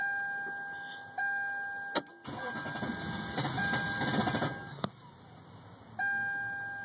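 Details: 1998 Lexus LS400 that bogged down and died on the highway, four days later; battery terminals cleaned, fuses and relay checked fine; starter whirs steadily about two and a half seconds but never catches. Crank no start, cause not yet found.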